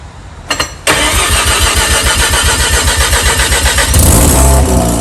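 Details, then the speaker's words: JDM Haruguchi Mazda FC RX7 rotary after storage, new battery, fresh 98 petrol and fluids: starter cranks briefly, catches cleanly, settles to a fast buzzy idle and picks up smoothly on a blip; healthy start. "So there you have it. FC's running, going. Should be good to drive as well."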